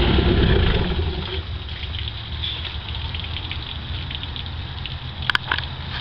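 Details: MerCruiser 3.0L 140 hp four-cylinder in a Stingray boat, after carb rebuild (previously started then died; fuel pump was fine): steady low, even idle over splashing water without hunting or dying; runs fine.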